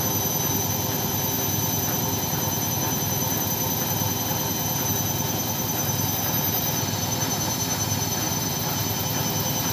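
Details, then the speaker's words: Side-door washing machine at maximum spin with a load, after the loose top counterweight near the motor, which had shifted back, was fixed: smooth, even spin with a steady hum and high whir, no thumping; running balanced and quiet. "Hai ini kecepatan maksimal Alhamdulillah sudah sudah tidak Berisik lagi ya tidak mengganggu tetangga lagi hehehe ini kecepatan maksimal dengan kapasitas cucian di dalam happen Ok"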